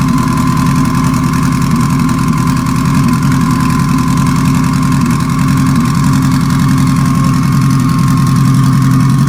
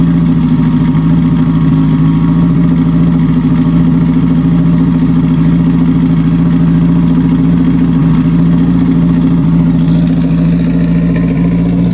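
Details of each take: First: Petrol four-cylinder at idle with cylinder four dead: unplugging injector four makes no change. It runs on three cylinders with a rough, choppy lope. Owner suspects a stuck injector and plans to bench-tap it. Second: Four-cylinder car after reassembling its sequential transmission with new replacement gears: a steady, even engine hum at constant speed with no stumble, all four cylinders firing smoothly.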